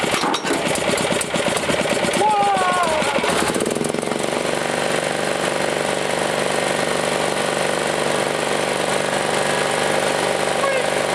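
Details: Honda-clone small generator recovered from a field, run after a broken intake valve stud was found. Rough, uneven pulling for the first few seconds, then a steady, even drone holding speed: running normally.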